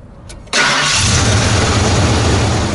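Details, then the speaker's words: Truck with the failed aftermarket MSD 6A ignition box bypassed and factory ignition restored: brief crank, then catches at once and settles into a steady, even idle with no stumble; normal engine start. "And I disconnected the aftermarket ignition system that I had installed, and from that point it started right up and we drove all the way home, no problem."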